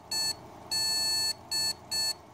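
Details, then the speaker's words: ASUS Sabertooth Z77 powered on as a baseline test with no RAM sticks and no graphics card: a high, buzzy PC speaker gives one long beep then two short ones, the board's no-memory-detected code. "so right now I have the RAM sticks out and it makes this noise when I start it up"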